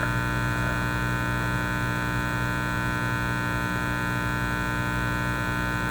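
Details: Teletone 67-600E tube record player amplifier, tested on isolation transformer and wall outlet with plug reversed: steady low hum with buzzy, harmonic-rich edge, unchanged by these tests; mains hum and buzz, cause not confirmed.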